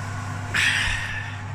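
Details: Electric fan oven just after replacing the heating element, switched back on: a steady low electrical hum and buzzing with the fan running smoothly; working normally.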